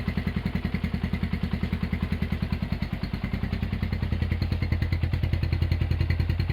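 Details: Honda GL100 (GLK 100, factory CDI) single-cylinder engine after rebuild, with a new tensioner blade and CDI fitted, idle raised. A crisp, even beat of about 3.5 pulses per second with no knocks or rattles indicates healthy idle.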